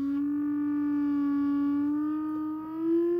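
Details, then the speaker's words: Rogers LS3/5a woofer from a badly overdriven speaker, 300 Hz test tone: output buzzy and gritty with heavy distortion; cone clicks when lifted; voice coil rub. "I've just taken the other speaker apart, and this woofer is really gritty, and it's got a funny clicking noise when you lift it up, and you can probably hear the distortion. That's at 300 Hertz."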